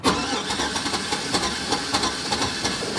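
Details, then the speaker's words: Older Chevy Tahoe with long-standing check engine light and rough running: starter churns with uneven, lopsided compression pulses and engine barely catches, needing throttle like a flooded condition; strong fuel smell, not firing on all cylinders, compression problem suspected; uneven cranking, hard start. "Crank's funny. Hardly starts. I hear I hear a compression problem. I had to give it gas to get it to start to basically like almost like a flooded condition."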